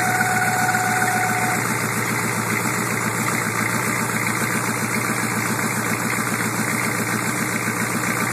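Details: 1987 Suburban 6.2 turbo diesel at cold start: regular tapping clatter, roughly three to four beats a second, over the idle; noise present about a year, formerly quiet, usually gone once warm, cause unknown.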